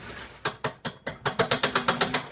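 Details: Washing machine making abnormal noise: sharp ratcheting clicks, a few slow then a steady run of about eight per second from the mechanism; cause unknown.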